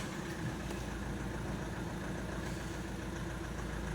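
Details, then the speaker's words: Opel Astra H 1.7 CDTI diesel, after the engine control unit was replaced and flashed, with DPF and EGR deleted; previously misfired with hunting revs. Diesel clatter holds constant speed with no rise or fall; revs no longer floating; normal idle. "Бачите, вже не плавають оберти."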